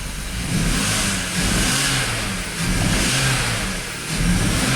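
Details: BMW X5 with a misfire, part 2, in cold weather (about 20°F): revs rise and fall in repeated blips with a lumpy, uneven note while injectors are being disconnected for testing; the engine still misfires with the same codes.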